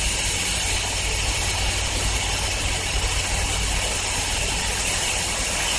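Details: 2007 John Deere LA110 lawn tractor on a cold-start test after a tune-up with fresh 90-octane gas plus carb cleaner: a steady, even idle with a low drone and no knocking or hunting.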